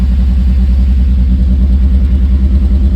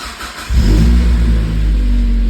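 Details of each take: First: Mazda Miata with CEL P0118 (coolant sensor reading -40°F, no connection), after an earlier P0111: fast idle climbing past 2,000 rpm (up to 3,000) with uneven fluttering and dropping, traced to a coolant temperature sensor circuit fault. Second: Mazda Miata starting after the coolant temperature sensor circuit repair, with 5 V now at the sensor connector and coolant and intake temps reading about 72F and 77F: short crank, catches at once and settles into a smooth, even idle.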